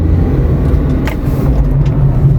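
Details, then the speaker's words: Toyota RAV4 after cleaning to fix P2770/P0776 codes (previously not shifting properly): steady low engine and road drone cruising at 80 in sixth gear, smooth with no slip flare or clunk; transmission shifting all gears properly. "If you check, the car has completed six gears, you will see that the speed is 80, so the road ahead has ended, then yes, now that means this car is absolutely OK for us and is doing proper gear shifting."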